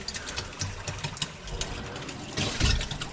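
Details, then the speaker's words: First water turn-on of DIY plumbing from house to a 400 sq ft cabin: uneven ticking and rattling bursts as lines fill, heard at the water heater though something is closed; cause unclear. Rattling while filling. "Wait a minute. This is closed here. Why am I hearing sound in the water heater?"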